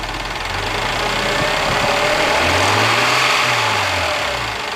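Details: Mazda MX-3 engine warmed to normal operating temperature, idling: fast, fairly even light metallic clatter over the engine hum; owner asks what the noise and problem are, origin unknown.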